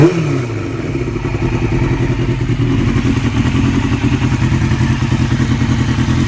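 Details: 2002 Yamaha R6 inline-four revving with a quick, light top-end ticking from around the cams that persists as revs climb. It was present since purchase and remains after an APE manual cam tensioner swap; the owner hopes it isn't the valves. Undiagnosed.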